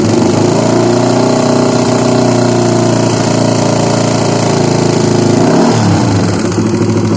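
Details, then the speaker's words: Honda CBR150 single at idle that previously ran completely out of oil and stays noisy even after an oil change; a hard, rapid clacking from the middle and top of the engine persists when blipped, from worn camshaft bearings. "Ya oke, jelas ya suaranya seperti itu. Jadi ini awal mulanya itu kehabisan oli ya. Olinya sampai kosong blong. Jadi akhirnya suaranya jadi seperti ini ya."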